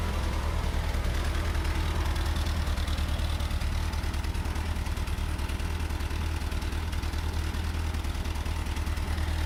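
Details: Gasoline engine that replaced a failed diesel, first start after rebuilding its Holley Weber Motorcraft 32/36 5200 carburettor: steady, even low idle with a smooth regular beat, no misses or stumbles; normal idle.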